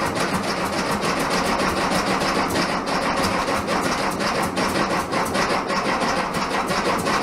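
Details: 1967 VW Bug, big-bore 2387cc engine, cold day (~15°F), after fuel delivery fix: steady fast cranking with uneven pops, never catches to idle; spark weak, owner suspects ignition, plans new ignition parts and plug check.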